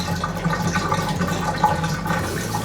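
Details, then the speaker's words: Bathtub drain after clearing slow drain, about 4 inches of lukewarm water released: steady gurgling rush with swirling vortex, water heard through overflow, no choking; normal free-flowing drain. "and if you can hear water coming out of the overflow like we can now, then that's a good sign."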